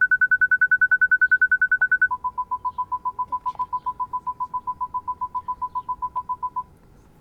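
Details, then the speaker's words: Park distance control (PDC) actuator test run from a KINGBOLEN diagnostic tool: rapid, evenly spaced high beeps, then a steady lower-pitched train in a quiet cabin; the parking sensors respond normally. "Tak actual test PDC active park distance. Ukáž, či to pôjde. A ide."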